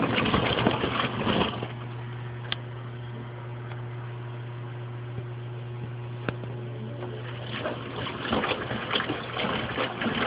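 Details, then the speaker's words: Mueller Special washing machine washing a big duvet: water slapping and gushing in uneven surges over steady motor hum despite the absorbent duvet; normal wash with heavy sloshing; an electrical noise comes from a lamp, not the machine. "As you can hear, the water sloshes a lot. Even with a very absorbent duvet."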